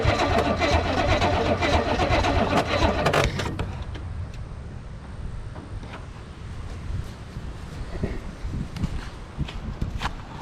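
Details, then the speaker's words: 1985 Pontiac Parisienne project car: about three seconds of slow heavy cranking at roughly four turns a second, never catches; owner suspects a dead battery. "Probably battery dead, that's probably what it is. Let's see if we got anything. Nothing yet."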